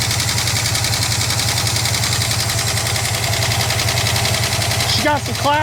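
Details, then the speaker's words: 1967 Lincoln Continental idling shortly after first start in about 29 years: steady idle with fast light ticking clatter throughout, valvetrain noise, cause not pinned down; owner plans to add something through the oil cap. Valvetrain clatter at idle. "huh I got the perfect fix for that where's the oil cap"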